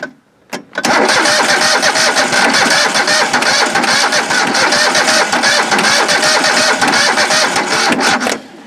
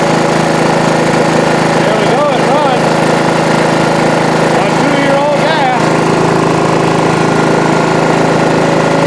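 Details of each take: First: Old John Deere 185 mower, sat two years, weak battery: starter churns steadily about seven seconds with a rapid even rhythm but never catches, a crank no-start; possible connection issue, and the choke was found gummy. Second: John Deere 185 riding mower, sitting two years on two-year-old gas, after carb spray through the air intake to clear gum and varnish: the small single-cylinder engine fires and runs steadily and evenly with no misses or knocks; normal running.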